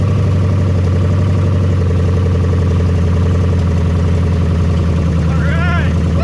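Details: 1975 Chevy Nova V8, just started after sitting 35 years: deep, loud idle through open headers, steady but too fast, from uncapped vacuum leaks needing caps.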